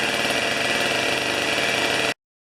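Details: Old two-stroke snow thrower, long stored outdoors, restarted on choke with 40:1 premix: high, buzzy rattle holding steady speed without misses or surging, then cutting off cleanly; running healthy.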